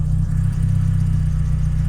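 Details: 1992 Toyota Corolla 16-valve petrol, after fixing hard starting and stalling at idle, now idles steady and even without throttle, smooth low rumble with no misses.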